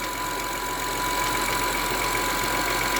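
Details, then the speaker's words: 2003 Honda Accord V6 at cold start idle: thin steady high whine over the engine from the power steering pump, quieter cold, expected louder as fluid heats; owner plans replacement once it becomes unbearable. "So, here's how it sounds upon cold startup. The whining noise is not so noticeable right now. I guess once the power steering fluid gets hotter, it will be more audible. But the wine is definitely there."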